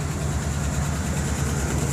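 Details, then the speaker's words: Car engine idling with low rumble and quick steady tapping on top, worse when revved; owner suspects a lifter, cause unconfirmed. "it's making a tapping noise I get to lifter or something"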